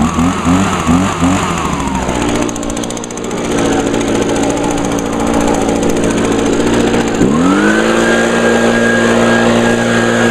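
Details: 2009 Echo PB 251 handheld leaf blower, on a tiny bit of gas, started on choke after priming; settles to a steady idle, then sweeps cleanly to a high, even full-throttle whine. Normal running.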